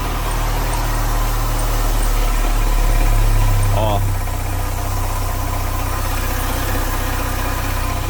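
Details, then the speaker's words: Chevrolet Corsa on a cold morning start, two weeks after replacing the poly-V accessory belt: fast metallic chatter, about three a second, over the idle; a loose accessory belt tensioner and its bolt are rattling. "o um outro barulho uma barulho metálico para essa algum de motor eu fiquei um pouco assustado"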